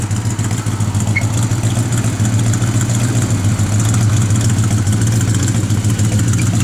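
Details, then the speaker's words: 1967 Chevelle SS, matching-numbers 396 V8 with 4-barrel carb, TH400 transmission with stall converter, new Flowmaster FlowX dual exhaust: deep, steady burble at idle with a gentle rhythmic cam lope, firing even and strong. A slight vacuum leak is suspected. "the car's got good sound to it nice little lobe to"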